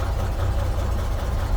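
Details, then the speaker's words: 1934 Chevrolet DB pickup, 6-volt system, inline six cold-started without choke or throttle: starts right up and settles into a deep, steady low idle with even rhythm, no knock or misfire; oil pressure coming up, normal idle. "baby o starts right up every time I have got it running anyway"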